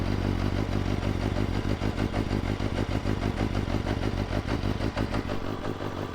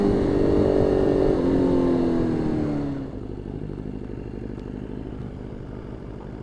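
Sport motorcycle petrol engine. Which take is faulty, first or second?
second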